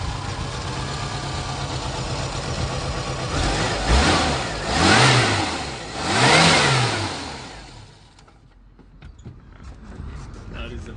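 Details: Dacia 1410 Sport, rebuilt 1986 carbureted four-cylinder Renault-derived engine: steady idle then two smooth throttle blips rising and falling cleanly; revs freely, normal idle and revving.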